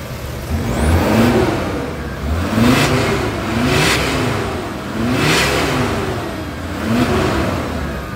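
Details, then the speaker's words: VW Crafter diesel after its cracked EGR flex pipe was brazed with brass, starter overhauled and lambda sensor restored: repeated throttle blips rise and fall smoothly with a clean diesel note and no hiss, indicating healthy revving. "песня для ушей отлично великолепно великолепно всё нигде не сечёт нигде не под секаев"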